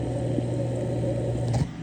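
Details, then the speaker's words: Boiler circulator pump just replaced and air being bled out, phone held right on the pump, on low speed at 20% burn rate; even low hum, constant pitch, no grinding or gurgle, running quietly and smoothly. "amazingly quiet we're at 20% burn rate so everything's just kind of cruising along here"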